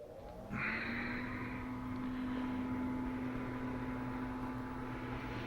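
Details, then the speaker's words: Arcade cabinet, Indiana Jones and the Temple of Doom, with a rebuilt AR-III power supply whose fan cools a heat sink and hot 2N3055 transistors; the owner thinks the fan died before and caused a meltdown: a steady low buzzing hum comes up at switch-on and holds even; normal cooling fan. "you can hear that fan buzzing it needs that fan cuz those that heat sink and those t uh 2N 3055s those things get hot"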